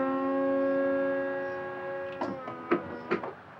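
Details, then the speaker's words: 2016 McLaren 650S, crashed and rebuilt, retractable hardtop tested after repair: steady electric motor hum for a couple of seconds, then latching clunks as roof finishes opening; operates normally. "Roof open. How about that? It It works."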